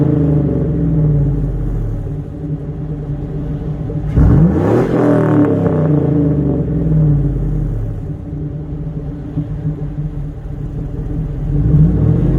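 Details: Stock 5.3 Chevy Silverado V8 truck with a single exhaust through the Edelbrock muffler, before the Magnaflow swap. Deep, even burble with one clean rev swell around four seconds and no knocks or rattles: a normal, healthy exhaust note.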